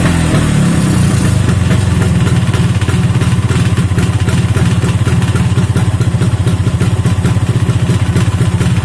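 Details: Vespa two-stroke engine running on a stand after an engine rebuild with a mixed Strada/Sprint gearbox. Steady, even buzz with a light rattle from the stand, which has no damping. The owner judges the engine smooth; road performance is not yet tested.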